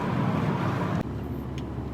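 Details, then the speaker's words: After new axle bolts torqued to spec (25 ft-lb plus 90 degrees front, 36 ft-lb rear): smooth, low road rumble while driving with no clunk or knock under load; the previous axle clunk is gone. "oh I'm so happy that clunk is finally gone listen to this listen to this do you hear that nothing as good as new"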